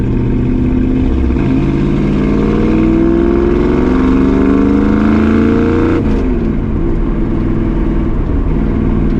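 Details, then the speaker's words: 1965 Ford Mustang 302 V8 on a test drive after the driver-side header was loosened and its gasket replaced to fix an exhaust leak: strong, even pull through the revs with a clean shift, no ticking, popping or backfire. "You hear chicken? I don't hear nothing. I think we got her."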